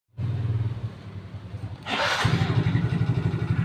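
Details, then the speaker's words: Yamaha Mio GT scooter: uneven, rough running with a harsh clattery edge that swells as the throttle opens, and the noise carries to the rear. A worn cylinder is suspected, either the cylinder block or the piston. "Nah suaranya kayak tadi dan analisa kami sih kemungkinan adalah silinder bloknya ya teman-teman ya atau pistonnya"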